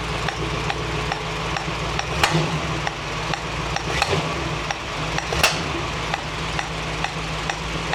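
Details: 1965 Mustang GT Convertible idling evenly after installing a Tuff Stuff 7068K 140 A alternator, fan on: a new steady hiss with a few light ticks, no knocking, seemingly from the carburetor; cause unclear.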